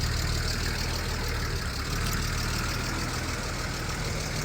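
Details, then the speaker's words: Cheap BMW E36, recently sat unused, just got running again after fuel pump priming fixed: low, slightly uneven lumpy idle with hiss and a clicking only at idle; rough idle, owner suspects a vacuum leak, clicking possibly valves. "Sounds good. Sound like it has a vacuum leak, honestly, but overall motor sounds decent. I don't know what that clicking noise is."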